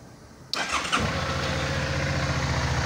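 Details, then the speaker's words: Suzuki DL 650 V-Strom after cleaning the clogged high-pressure fuel filter and fixing the loose pump positive wire: fuel system was empty of fuel, yet a quick crank catches in half a second into a steady, even idle; pressure reached working level. "Tô com o sistema vazio aqui, cheio de ar. Dei uma ligada, ele já subiu para pressão de trabalho."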